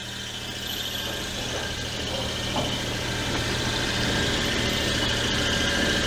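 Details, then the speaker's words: Daewoo Matiz at idle after service, belts recently replaced: a thin high squeal rides steadily over a quiet idle; owner suspects the power steering pulley, not confirmed. "i've got a bit of a squeak it might be the power steering pulley"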